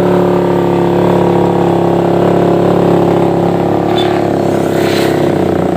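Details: Suzuki Satria FU 150 single-cylinder after porting and replacing the uneven valve shims. Smooth, clean rev with a steady pitch that eases back down, no knocks or rattles; the engine runs healthy.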